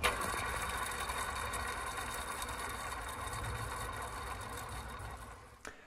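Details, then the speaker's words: Honda S2000, engine bay work: belt tensioner pulley spun by hand gives a harsh, gritty grinding that fades as it slows, unlike the smooth water pump and idler; the tensioner bearing is worn out. "as you can hear in that driveway shot even with all the cars in the background that bearing is absolutely shot"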